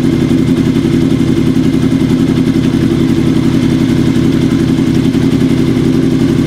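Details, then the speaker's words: Kawasaki KZ750 café build, hot, during carburetor synchronisation with a manometer after bench sync; steady idle with slightly uneven, lumpy pulse, carbs close but not yet fully balanced. "it sounded okay and we're getting there and that's all we have time for today but next week we can finish up syncing up those carbs"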